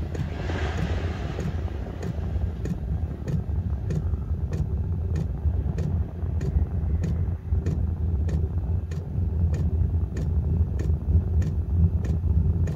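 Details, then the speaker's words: Chinese 12 V 8 kW portable diesel heater during startup about a minute after switching on: crisp steady fuel pump ticks about a hundred a minute over a low burner rumble; pump metering normally. "That's the fuel pump started, so what was about a minute from pressing on. So she's now pumping fuel into the element, into the"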